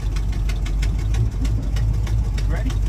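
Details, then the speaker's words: 1988 Chevrolet Monte Carlo SS T-top, first drive: rough rapid puffing ticks about three a second over deep engine drone while driving, belt also squeaking, car smoking; occupants say definitely exhaust, suspected exhaust leak, not confirmed. "I'm recording for the both of us so definitely exhaust you said what definitely exhaust yeah oh yeah it's bad"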